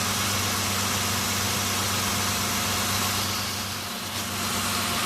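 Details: Mitsubishi Nativa/Pajero V6 that cranked but wouldn't start for about two years, fuel and ignition OK, fixed by resetting timing belt to marks: steady even idle, smooth low hum, no misses or knocks.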